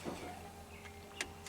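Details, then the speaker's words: 1995 Ford F150 4x4 with an intermittent stall, during a key-on engine-off self-test with the scanner connected: a faint whir of a second or two with light clicks as the fuel pump primes normally; codes later show MAP sensor frequency out of range and DPFE signal too low. "Cycle ignition switch to off. On. You hear the fuel pump prime."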